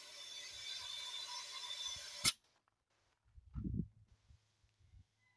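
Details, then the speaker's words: 1957 Farmall 350 that wouldn't start, being leak-tested at cylinder number two: thin, steady hiss of air escaping past badly carboned valves, some leaking at intake, some at exhaust, some at both. "some of them leaking on just the intakes and some of them leaking on just the exhaust and some of them leaking on just the intake and exhaust"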